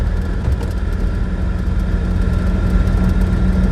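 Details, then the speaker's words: Invacar TWC 725K on a road trip, near 50 mph through a village: a steady high squeal over road and engine rumble returns; owner fears the belt dressing has already worn off, suggesting a slipping belt. "I fear the belt dressing has worn off already."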